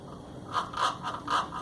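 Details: Top-load washing machine after its cam/pulley drive assembly was replaced: repeated harsh scrapes about three a second during agitation, as the drive pulley does not engage properly due to mismatched tooth height and thickness.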